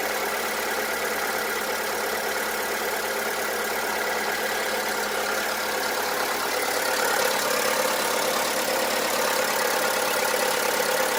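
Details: VW Polo 1.4 16V BUD at idle: hard diesel-like clatter about three times a second over the hum, unchanged by lifter cleaner, lifter replacement and XADO additive; piston slap, common on these 1.4 blocks.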